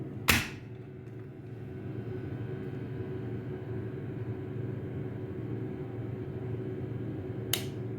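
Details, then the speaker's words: Pneumatic timer on a contactor with its coil fed 220 V: contactor pulls in with a sharp click and low hum, then about seven seconds later a second crisp click as the timer contacts change over normally. "Mes amis, avez-vous entendu le clic ? Après cette minuterie fonctionne Les lames ouvertes et fermées changent de position."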